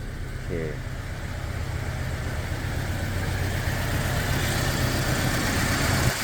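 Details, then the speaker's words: Toyota Fortuner, petrol engine believed to be a 2TR, running on petrol before switching to gas: low lumpy idle with an uneven beat and popping exhaust, one cylinder not firing; weak and stumbling on the road, and the title blames rat-chewed wiring. "แตะสะดุดเลยครับสะดุดจัดเลยอันนี้น้ำมันนะฟังเสียงท่อกันป๊อกๆๆเลยอ่ะ"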